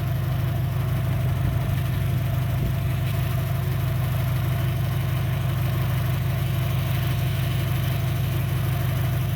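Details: 2003 Dodge Neon 2.0 after timing belt job and rebuilt head, compression 190 psi on all cylinders, new plugs, no vacuum leak: deep, lumpy idle with a heavy beat about three times a second, then the engine cuts off. Two cylinders dead; coil suspected.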